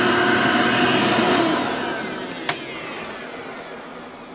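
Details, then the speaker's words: Genuine Hoover vacuum, reasonably cared for, 99.9% microfiltration: steady even whir with clean airy hiss slowly winding down, no knocking or grinding; healthy, needs only cleaning and a belt, likely stretched, brush roll dragging on carpet. "seems like other than a little bit of a cleaning and a belt it seems like that's all it needs"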